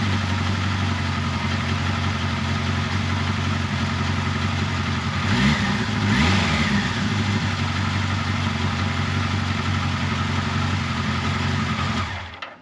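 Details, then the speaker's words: 1979 Kawasaki KZ1000 Shaft first start after valve clearance check, carb cleaning, intake boot reseal and head bolt re-torque, fuel on prime: fires, one blip, then a smooth, even four-cylinder idle with no knocks or ticks. "all right as you can hear no bad noises everything sounded good"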